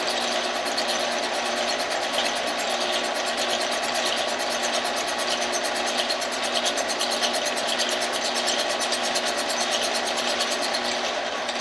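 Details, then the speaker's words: 1948 Kwik Way boring bar boring a chopper motorcycle cylinder. A steady whir with a faint rhythmic rise and fall as the tool just contacts the wall about an inch down, cutting only part of each turn: the cylinder is probably out of round. "okay I could hear that the putti trope is just barely making contact now with the cylinder wall and it's about an inch Bobby [Music] and that's telling that the cylinder is probably a little bit out around"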